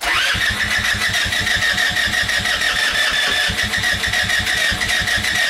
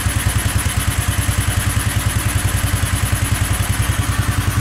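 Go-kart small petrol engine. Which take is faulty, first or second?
first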